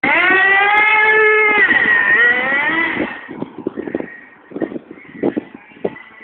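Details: Thunder Tiger nitro RC car turning: the small nitro engine screams at high revs, pitch dipping and climbing with throttle, then drops to scattered bursts; owner calls it loud, no clear fault.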